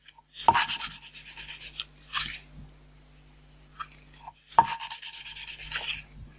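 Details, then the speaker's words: Renault 4L valve hand-lapping with paste nearly finished: bursts of dry gritty rasping as valve is twisted on its seat, softening between strokes. "Voilà, là ça a bien disparu. Donc, alors on sort la soupape, on la nettoie, on nettoie le siège en même temps."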